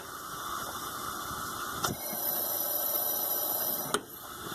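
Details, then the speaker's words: 2004 Ford F150 Heritage 4.2L leakdown test during misfire diagnosis, about 100 psi in, 5–8 psi gauge. Steady loud hiss that changes as checked, indicating a bad intake valve; valve cover already off. "You can hear that change in sound. So we've got a bad intake valve, as you could probably see in the background of the video."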